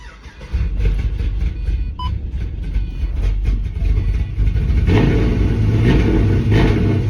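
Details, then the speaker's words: Pontiac GTO with recurring fuel-supply problems catches and holds a steady throaty idle, building slightly under throttle; good fuel pressure at idle (50–55), though owner suspects pressure drops under throttle; normal running. "It's running good idle at 50, 55, but I think it's dropping when I hit the gas."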